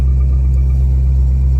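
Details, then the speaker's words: 2001 C5 Corvette Z06 with 146K miles, after ignition switch repair for a no-crank no-start: it cranks and holds a deep, even idle rumble with no misses or knocks; the ignition switch appears to have been the culprit. "So car is running. I'm gonna play with it a bit and make sure that it stays this way, but for right now, it looks like that was the culprit."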